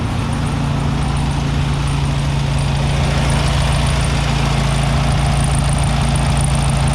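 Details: 1967 VW Beetle air-cooled engine on its first start after sitting for years, choke thought to be needed. A steady, even low throb of about four beats a second with no misses or knocks: a normal smooth idle.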